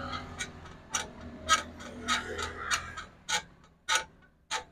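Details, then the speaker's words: Motorcycle rear suspension pushed down: short dry creak about every half second, coming not from the shock but from the swingarm pivot washer; fixed by opening the pivot nut. "हमारे ये शाक की आवाज नहीं होती इसके पट्टी की आवाज होती है जब हमारा झूला काम कर"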